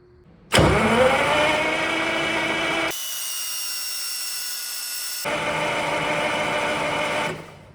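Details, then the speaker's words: Caterpillar diesel, sat for years, fed from a bucket: steady, uneven cranking churn that never catches; crank-no-start because the transfer pump isn't delivering fuel to its pressure line. "When I crank the engine, that should be spraying fuel. If it's not, something ain't happening that's supposed to be happening."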